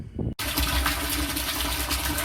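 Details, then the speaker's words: Homemade automatic water pump switch built from an old OHP part, pump running: steady hum under a strong, even rush of water filling the tank, no surging; occasionally the switch may not press fully, but normal running. "Ya kalau kali-kali sih ada juga mungkin tidak sempurna ini tertekannya, tapi sepanjang ini aman-aman saja gitu, berjalan dengan normal."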